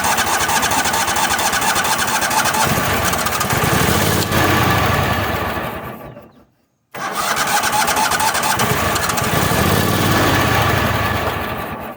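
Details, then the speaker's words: Toro Wheel Horse 266-H mower, 26 hp Kohler V-twin, starter suspected damaged, cranked with big battery charger boosting voltage: two long laboured cranking bursts, a few uneven catches, no steady run; hard starting. "I think somebody has screwed that starter up. So, if that don't work, let's put some more voltage to it and see what happens."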